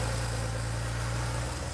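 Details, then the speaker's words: Rebuilt air-cooled Porsche flat-six running on a test stand after cam timing: a deep, steady, even idle with no exhaust or oil leaks, ticks or knocks, and good throttle response. "Really happy with how it turned out. No exhaust leaks, no oil leaks, no funny noises."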